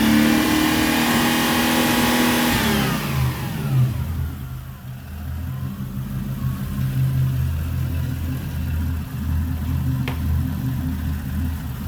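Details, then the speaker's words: Toyota Celsior/Lexus LS400 1UZ V8, not driven for a while, fouled plugs, AFM supply fault under diagnosis: revs up, falls back and settles into a slightly lumpy, uneven idle; uneven running, cause suspected, not confirmed. "Got to remember it's got foul plugs, it's been running terribly. It hasn't been driven for a while because it's been running that poorly."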